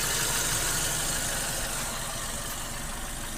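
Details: 2008 VW Golf 5 1.6 petrol after replacing spark plugs and gaskets, which fixed a cylinder-3 misfire and idle rpm jumping up to about 1000: it idles smoothly at a steady speed with no hunting or surging. Healthy.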